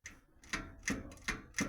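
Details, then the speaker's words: Ardis Hetman bicycle with coaster brake, bottom bracket replaced and cranks tightened: sharp dry clicks about every third of a second when braking by pedaling back, none when pedaling forward. A knock of unclear cause. "стукає що воно там штука Я не понімаю ну ви поняли як їдете вперед Все нормально Тільки начинаєте тільки доходи до стопора тормоза вже працюють"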